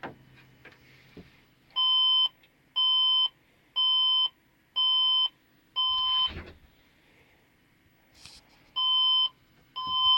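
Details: Computer that won't boot beeps at power-up: five long high beeps about one a second, a pause, then two more, repeating as a startup error code. The fault is unidentified; the owner plans a new motherboard.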